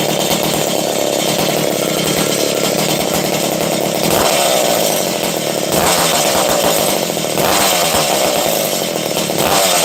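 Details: 268 XP chainsaw, started after being flooded and running low on fuel: loud, steady high-pitched buzz with brief dips and recoveries; runs cleanly and holds its revs.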